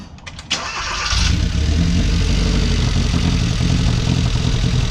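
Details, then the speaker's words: 2013 Hyundai Veloster four-cylinder, over 100,000 miles, misfiring on cylinders 1 and 3, running rough then stalling as if out of fuel; uneven stumbling idle after crank; suspected failing gasoline direct injection high-pressure fuel pump, to be replaced. "okay you can hear this thing is misfiring all over the place it is running rough and then it's going to stall out"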